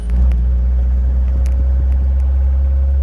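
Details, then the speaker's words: 1974 Alfa Romeo Spider Veloce, 10K original miles, revived after 30 years stored, on first test drive as it warms up: steady, smooth low engine rumble with no knock or miss, light rattles, oil pressure over 60; normal running. "Probably going to be bouncing around here a little bit. Engine feels really smooth. Temperature is coming up."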